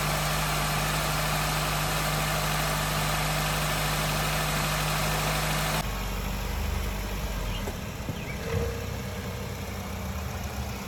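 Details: 2004 Honda Accord 2.4L right after engine replacement, new oil, first start: catches and settles into a steady, even idle with smooth low hum, no knocks or ticks; healthy.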